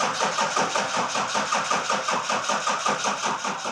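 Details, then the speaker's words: 1300+ HP truck engine after cylinder head replacement, fuel system not yet primed: starter turns slowly in even beats, about three a second, never catching; slow cranking, more starting fluid wanted. "We need that lift moser, dude. So it would crank fast."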